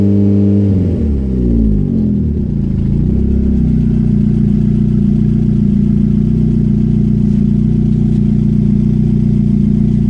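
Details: Renault 5 GT Turbo F7P engine's first start after a bottom-end rebuild: it catches and settles into a steady, even hum with clean rev changes and no knocking or clatter, sounding healthy and smooth.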